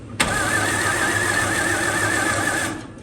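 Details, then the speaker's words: 1954 Fargo half-ton flathead six cranking after new piston rings and valve adjustment: even, steady rhythm about three and a half beats a second, no uneven beats; owner reports good compression, great vacuum and good oil pressure. "sounds really good we got really good compression I turned it over off camera with my thumb on top and great vacuum"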